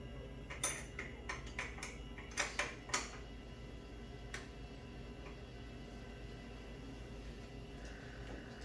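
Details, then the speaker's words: Tesla Model S refresh after installing an Ohmmu lithium 12V battery (drop-in replacement): touching the negative terminal back on brings a quick run of sharp relay clicks, then a soft steady hum. The car wakes normally and boots with no error messages. "Now we touch the negative terminal. I can hear the car turning back on."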